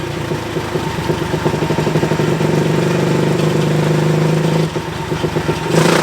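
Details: Tcb Xf-24 pit bike, Daytona 190-based 225cc stroker single (66mm piston), full-throttle dyno run after richening the needle one clip: hard, even revving climbing cleanly under load, no stumbles; final run made 27.8 hp and 19.9 ft-lb.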